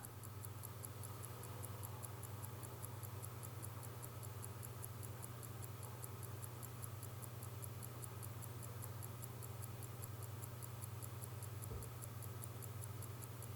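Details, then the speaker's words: 1952 J.W. Benson watch with 15-jewel Smiths movement: crisp, even ticks about three per second, slightly hollow in tone, no skipping; distinctive Smiths hollow tick, healthy normal running. "Yeah, it has to do with the Smith's movement again. It's got that bit of a hollow tick, hollowness to the tick"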